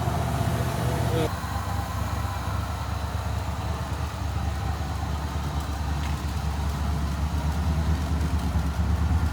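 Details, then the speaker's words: 1986 Ford F150 first start after replacing both fuel tanks, sending units and cleaning tank switch reservoir: low steady idle after a brief thump, runs decent but smoking a lot and leaking fuel badly; normal idle. "so we got it running it runs decent smoking a lot and there is hella leaks"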